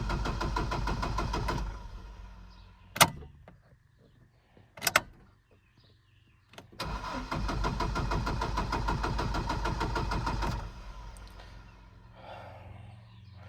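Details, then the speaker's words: Chevy Colorado cranking but not starting due to Passlock anti-theft lockout, before the free fix (white wire): long even cranking bursts that never catch, engine turns freely but won't fire. "this is what you're gonna see right here that's the one pass lock and it's not gonna start now"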